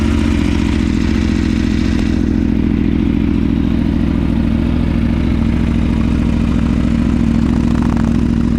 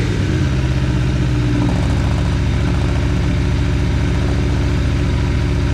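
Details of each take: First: Aprilia Tuono V4 first start after valve clearance service, fresh Mobil 1 10W-40 oil, cranked 20–30 s to build oil pressure: lumpy idle with brief cam chain clatter at first, fading once oil pressure built up. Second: Aprilia Tuono V4 revved after valve clearance service and fresh oil: loud bark climbing quickly and holding a high even note, no clatter or ticking; revs freely, no funny noises.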